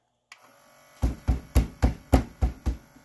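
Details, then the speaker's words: Adcom GCD-575 CD player with the drawer stuck shut and an error shown on eject: quick low buzzing pulses as the tray motor spins without opening the drawer. Cause was a broken tray loading belt, fixed with a new belt and cleaning. "when I try to reject it listen closely and then I get an e most likely error it will try to open but it's not actually opening"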